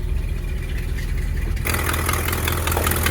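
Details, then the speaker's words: 1960 Ford Thunderbird, possibly original 41,000 miles (unconfirmed), at a pre-purchase inspection: deep, steady V8 burble at idle with even low rumble, no knocks or misses, slight exhaust noise; engine sounds healthy. "the engine itself sounds pretty good he a little exhaust we"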